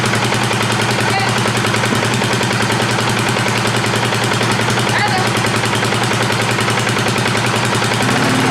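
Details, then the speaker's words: 2018 Polaris Sportsman ACE 570 after mud flooding, in neutral, light throttle blips to check clutch: single-cylinder thumping picks up cleanly and settles back evenly; responding well. "A little more. more. Okay. Responding well."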